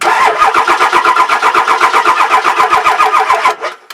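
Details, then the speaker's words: Diesel cranked on a new NOCO GBX155 jump pack without letting the glow plugs run, so it never fires. Brisk, even cranking at about four beats a second, then stops. The starter spins the engine over strongly and faster than with the old GB150. "now I didn't let the glow plugs run so that it would actually fire up I just wanted to show you how much faster the engine would turn over with the new gbx 155"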